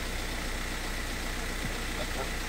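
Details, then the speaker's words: VW Crafter diesel after replacing auxiliary water pump B and aux heater pump to fix fault code P261A, coolant near 90 degrees: steady, even idle with a low thrum and quiet ticking, no knocks or rattles; healthy. "so so quiet that engine this purse now it's it just ticks all the nice and quiet"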